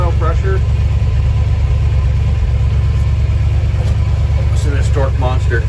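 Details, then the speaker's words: 1968 Dodge D-100 318 V8 first started, cold: a steady, even low rumble of about three pulses a second with no knocks or misses, "like a sewing machine". "listen to that it's like a sewing machine"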